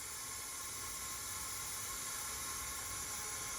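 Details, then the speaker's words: Leak-down test on an old front-engine dragster motor that sat about 30 years: constant airy hiss at the bottom of the cylinder past the rings, reading falling from 20 to about 14, some around the exhaust, owner suspects carbon. "again it's at the bottom of the cylinder I'm pretty convinced that uh a guy would get that less tell you the truth"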